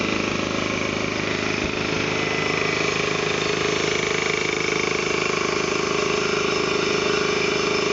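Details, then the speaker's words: Ingersoll Rand T30 2475 7.5hp upright air compressor with 80-gallon tank, set to 175 psi: steady, even pumping thump about two beats a second, check valve releasing, no air leaks or hissing. Normal running. "you can hear the check valve it's fully released now as you can hear there's no air leaks no issues nice clean air compressor"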